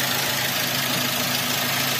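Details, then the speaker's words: Avanza/Xenia with hunting, shaking and low power: uneven, stumbling idle that stays after swapping the coil from cylinder 4 to 3. Misfire persists; compression leak is suspected, not confirmed. "Joe masih gak yo ingkang masih pincang masih pincang Joe di sini"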